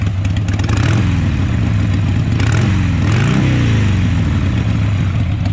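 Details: 2002 Harley-Davidson Sportster after carburetor cleaning: deep, even V-twin burble climbing cleanly with each throttle blip and settling back smoothly; starts easier and sounds healthy.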